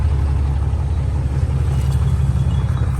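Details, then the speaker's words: 2021 RAM 2500 Cummins diesel after battery replacement following a big freeze, started after preheat: steady even idle with deep low rumble, no misses or knocks; normal idle. "it lives all right new battery in kind of just fine sounds good"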